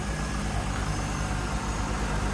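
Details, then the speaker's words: 1998 Chevrolet Corvette convertible pace car, 5.7 liter LS1 V8, hood open: steady, even idle rumble with no misses or ticks. Normal, healthy idle. "Alright, there's a 5.7 liter LS1. Smooth running, great sounding. Just the way it should be."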